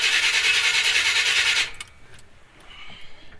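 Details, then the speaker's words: 1976 C30 dually with a 454, just fitted with Holley Sniper EFI and Hyperspark, cranking ignition timing set to 15°: the starter spins fast and evenly but the engine never catches. The owner suspects a timing or Hyperspark issue; cause not confirmed. "we're not getting anything all right we got nothing we're not even popping off"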